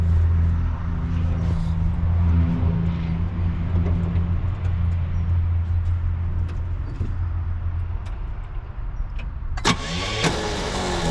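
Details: 1966 Pontiac Grand Prix, 389 CI V8 with automatic, sat for about 30 years; carburetor leaking fuel, suspected bad battery connection, owner about to check for spark. Engine churns over with a low uneven drone but never catches; cranking, no start.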